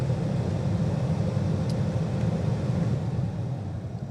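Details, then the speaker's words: 2006 Ford Fusion 3.0 L with automatic temperature control, after blower motor and blower motor resistor replacement: steady airy fan rush with low hum, accelerating and decelerating through speed ranges, no rattle or squeal; normal blower operation. "we can hear the fan accelerate and decelerate throughout the various ranges here and certainly feel good air flow coming out of the vents"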